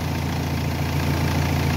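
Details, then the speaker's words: Renault Espace III 2.2L idling; with minus or plus removed it kept running, so no alternator fault. A weak alternator would stall the engine instantly. Steady, even low idle with no knocks, misses or hunting; healthy. "Donc enlever le moins, enlever le plus, elle continue à tourner."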